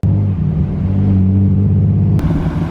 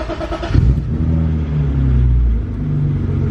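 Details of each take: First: 25-year-old barn find BMW E36 325i with replacement exhaust, during burnout attempt: deep lumpy uneven rumble; engine misfire, owner suspects spark plugs, plug inspection appears to confirm. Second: 25-year-old barn-find BMW E36 325i after new spark plugs for a misfire: the engine fires and revs with a steady, even low drone and no stumbling or missing. It runs smoothly; the misfire seems fixed.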